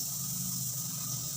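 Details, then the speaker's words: Polytron slim CRT TV with rainbow picture then protect: at power-on, a steady sharp hiss with a low buzz underneath; high-voltage arcing leaking, with the part needing replacement. "Aduh Kasar banget nah jadi ini mau nggak mau harus kita ganti takutnya terjadi percikan Arjuna itu terdengar ya"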